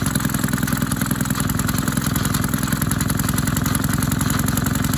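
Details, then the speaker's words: Maytag 72 twin-cylinder engine driving a power hacksaw via new 5-inch pulley, speed adjusted half a turn out, warmed up: steady putter with occasional popping skips; intermittent misfire attributed to one cylinder worn worse. "all right you hear that poop poop that's when after it warms up that's when it it starts skipping because one of these cylinders is worn worse"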